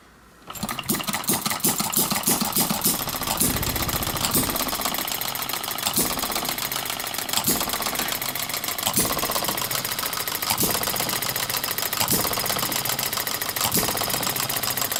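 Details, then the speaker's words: Breisch "little brother" hopper-cooled hit-and-miss engine, governor springs guessed since it came without any: loud chuffing firing bursts roughly every 1.5 seconds with coasting between, even and steady; normal hit-and-miss running on the governor. "It came without any governor springs, and it looks like I just guessed, but you can hear it hitting and missing, so I would say I got a pretty good starting point. Actually seems to be running very well."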